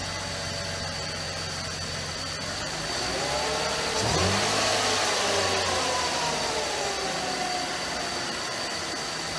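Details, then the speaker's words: Mercedes C32 AMG after replacing the noisy top idler pulley and bearing, plus an oil change: engine catches and settles into an even idle with a brief rev; only a faint, steady high whine lingers from the belt area, much reduced from before. "so I don't really hear some of the wine that I heard before"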